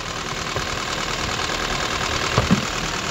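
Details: Copart-bought Titanium X car, previously dead and revived by connecting the battery: rough idle with uneven tapping through the engine note and the engine shaking; knock present, internal cause not confirmed.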